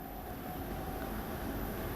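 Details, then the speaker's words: Three-phase AC induction motor fan run from single-phase power through a variable frequency drive, after ramping up: a steady, high-pitched whine over the airflow rush; this is the normal sound of a VFD-driven motor. "you hear the whining noise that's coming from that motor that is a very normal sound that comes from any motor controlled by a variable frequency drive"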